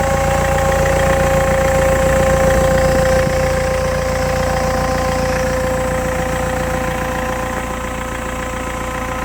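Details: BMW E90 M Sport at 94k: a steady whistle over even engine running after a sudden loss of power while driving, with smoke from the exhaust. The owner suspects turbo failure; unconfirmed.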